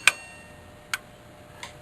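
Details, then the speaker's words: Taco-controlled heating system, thermostat jumped with a jumper wire: three crisp clicks less than a second apart, no buzz or chatter, as the relay pulls in to start the circulator pump; normal relay clicking at startup. "the relay fires up the circulating pump and then uh let's see thermostat safety switches circulator the circulation pump runs for a few minutes or a few seconds or a minute and then my heating elements should energize"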